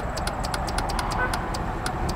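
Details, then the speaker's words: Dodge Dakota with no start and no fuel pressure: sharp uneven clicks over engine hum as the fuel pump relay pulls in when its control-side ground pin is touched with a test light; relay control side works. "Either way, this is control side ground on that corner, because I can make that relay turn on with my test light. Just touching on that pin, you can hear"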